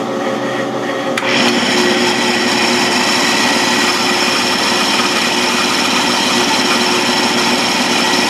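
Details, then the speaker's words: South Bend toolpost grinder running at high speed: a whine with a rough, buzzy rattle and vibration, leaving a chattery, uneven grind finish. The spindle bearings are believed shot. "you could hear the spindles making noise so I think the the bearings are shot"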